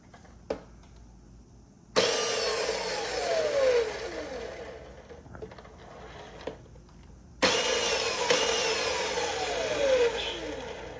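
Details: Razor E100 scooter with its stock 24V hub motor, throttle controller replaced by a 12V relay, powered by a 20V Dewalt battery. Two throttle bursts whine in sharply then fall in pitch as the wheel coasts; the motor spins freely.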